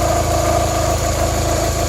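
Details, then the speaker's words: 1993-97 Toyota Corolla/Geo Prizm at idle after radiator replacement while bleeding coolant: steady idle with thin constant whine over the hum; sounded awful, owner suspects water pump. "all right that sounded awful"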